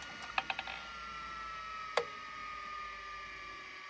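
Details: Miniscribe 6085 vintage 5.25-inch hard drive at spin-up. A quiet, steady faint hum with a few sharp head clicks early and one later: normal running, sounds healthy.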